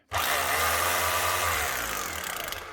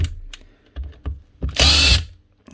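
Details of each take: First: Makita HR2450 rotary hammer after a secondhand switch and new brushes were fitted: two clean start-stop runs, the motor winding up quickly to a steady, even pitch and coasting down smoothly; running healthy. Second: Drill motor from a mixed box of power tools sent in for repair: harsh, rough gritty bursts instead of a smooth whir, and a clicking when the chuck is spun by hand; failed armature with a burnt commutator segment.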